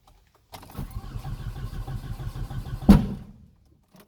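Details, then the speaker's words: 2002 Audi A4 B6 after used turbo install and coolant refill, cold start: starter cranks briefly, then it settles into an even, steady idle with no knocks or rattles. Clean start; smoke is spilled oil burning off the turbo. "When cold start finishes, I'll come back."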